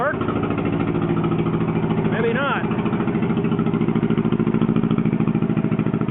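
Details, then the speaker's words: John Deere 420 Crawler tractor, two-cylinder, running on a borrowed Allis Chalmers B battery, blown steering clutch packs: loud, raw pop-pop at steady idle with a hard, open bark; loud exhaust from a rusted-out muffler. "all right one slightly running loud of course that's what a rusted out Muffler will do for you"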